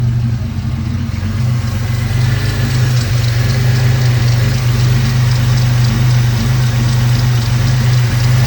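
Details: 2002 Ford Mustang 3.8 V6 automatic, after replacing PCV valve and breather hose, still idling rough and near stalling: deep idle that pulses and wavers; owner suspects a remaining vacuum leak, unconfirmed.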